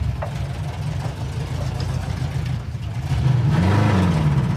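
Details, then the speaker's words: Freshly built 1968 Plymouth Satellite Road Runner clone, 383 V8, four-speed, first drive pulling away, possibly third gear, engine not warmed: rumble surges unevenly, stumbling under load; cold engine or bad carburetor gas suspected. "why do it run so terrible I don't know that's why I thought that was third gear maybe it needs to warm up that's [Music] moreor maybe it had some bad gas in the carburetor possible"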